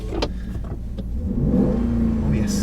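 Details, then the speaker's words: 20-year-old WJ Jeep Grand Cherokee, 4.7 L V8, at idle: low rumble with a faint steady whine holding its pitch, jokingly called power steering whine; engine otherwise described as very smooth. "power steering whine. It's very smooth. No, I'm kidding."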